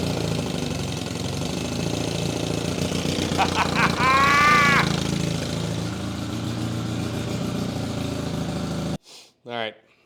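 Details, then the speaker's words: Old Evinrude six-horse Fisherman two-stroke outboard, barn-stored, first running after priming and choke in a hot garage; steady even buzz for several seconds with no stumbles or misfires, then stops; normal running, runs like a top. "Runs like a top."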